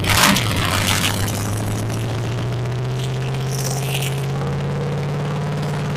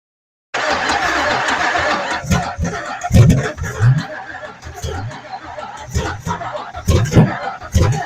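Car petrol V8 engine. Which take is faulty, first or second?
second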